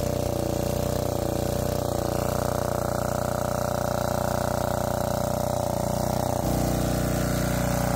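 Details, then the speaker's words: Lombardini 15LD400 diesel generator, barn find with electric start. Steady, even clatter with a constant hum, no misses or knocks, pitch drops briefly near the end; normal running. "all all right sounds good runs good"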